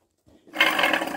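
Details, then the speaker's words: Worn car wheel bearing spun by hand, making a rough, gravelly growl "like an animal inside" that holds through the turn. The bearing is still tight with no play; it was loud while driving and was being replaced. "So here's what this bearing sounds like. It sounds like there's some animal in there."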